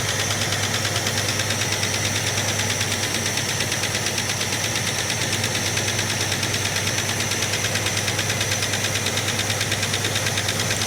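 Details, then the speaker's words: 1967 Plymouth Barracuda idling with an uneven loping beat, about three per second, and a missing firing pulse while plug leads are pulled on the suspect side; one cylinder dead. Distributor appears set too far out. "So, I'm just going to look and see what uh if I can narrow it down to a particular cylinder. I'll pull the leads off where I think the noise is not doing much."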